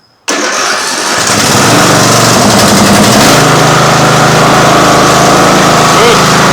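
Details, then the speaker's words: Craftsman riding lawn mower abandoned outside 5–10 years, cold start on full choke with battery pack: cranks briefly, catches and settles into an even single-cylinder idle with steady loudness; healthy cold start. "take so I would say that's a much better Improvement"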